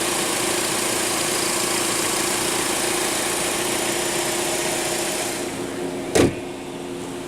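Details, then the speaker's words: Back-lot car with a 2.4 L four-cylinder idling with the check engine light on and the air conditioning running; steady, smooth idle hum with no knocks or misses; doesn't sound too bad. "I think this is a 2.4. Yeah, 2.4 liter. Doesn't sound too bad."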